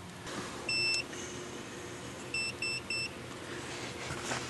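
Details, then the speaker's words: DVOM in continuity mode testing the yellow conductor from the diode side to pin 87 in the daytime running light circuit of a 1998 GMC Suburban: short, sharp high-pitched beeps; continuity test beep. "got my DB om set up for continuity as you can tell by that audible symbol"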